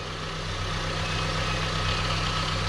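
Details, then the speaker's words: VW Golf with a secondhand replacement engine just fitted, idling right after first start: steady, even low hum with a smooth constant beat and no knocks or misses; clean, healthy idle. "wow we have a working car"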